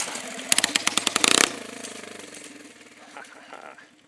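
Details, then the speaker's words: 15 HP five-speed go-kart engine, kickstarter not working well, started with starting fluid: quick run of sharp firing pops for about a second, then weak faltering putter that fades out; hard starting. "so Kickstarter isn't working too great so I'm going to try and use some starting fluid"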